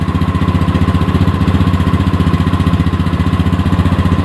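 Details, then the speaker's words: Honda Beat ESP scooter idling steadily during a charging-system check, multimeter on the battery reading 14.2 V at idle, which is normal charging; even low single-cylinder thump with no knocks or misses. "itu masih 14,2 ya saat langsam tuh, berarti akhirnya ini masih normal ini."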